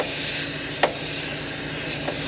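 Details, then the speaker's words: Volvo G88 diesel truck with the wedge brake air line bypassed, air fed straight to the diaphragm: steady hiss of leaking air over faint engine rumble while system air builds. "cks that power biter in so it's going to leak and make a noise but I'm just going to hook that straight air straight to that that diaphragm"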